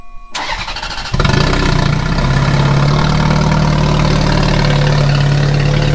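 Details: Ferrari F430 starting after ECU swap, O2 sensor and code checks: cranks, catches, settles into rough hollow lumpy idle, as if only one bank fires; electrical fault suspected, battery checked and two fuses found cocked, not confirmed.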